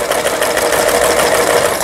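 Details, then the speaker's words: Yamata FY812 Chinese sewing machine, about 15–20 years old, after repair of seized internals: fast, even zigzag stitching with a steady rhythm and no knocks or binding; stitches normally. Low-cost machine, advised to run at slow speed. "지그잭 바느질, 정상 박음질 돼서 나옵니다."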